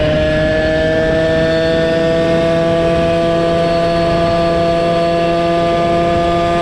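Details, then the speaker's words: Motorized bicycle two-stroke engine fitted with a cheap chainsaw pumper carb after tuning, approaching 300°F: steady, high-pitched buzz holding a clean, even note with no stumbling or surging; normal high-speed running. "Now that sounds better. Yes, approaching 300 Fahrenheit."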